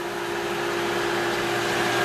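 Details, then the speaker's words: Jandy pool equipment with the variable-speed filter pump running and the secondary pool-cleaner booster pump just kicked on; steady mid-pitched motor hum and smooth water rush, about as loud as the setup gets short of the heater; normal pump operation. "and now the secondary pump has kicked on, and this is probably about as loud as it gets unless I turn on the furnace, which can get a little bit louder, but still it's significantly more quiet than my old equipment."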